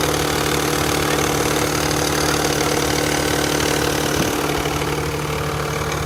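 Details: H2 Fairlady Z Z32 twin turbo, start-up versus warmed-up comparison; rapid even clatter over idle at engine speed, hydraulic lash adjuster noise, much louder right after a cold start.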